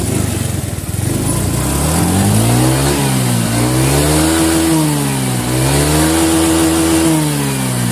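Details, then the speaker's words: Honda Vario 125 FI scooter, after fixing cold-engine stumbling/hesitation on throttle traced to the TPS sensor (shimmed); revs climb and drop smoothly through several blips, no hesitation; result good, normal revving. "Oke hasilnya mantap oke jadi hasilnya sudah mantap"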